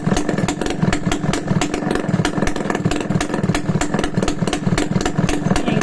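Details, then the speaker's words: Restored Yamaha RS100 two-stroke idling with no exhaust pipe fitted: loud, crisp, rapid even popping with no misses or rattles. The engine itself runs healthy. "Wala pang pipe kaya maingay. Parang tahimik naman yung makina niya mga kamekaniko."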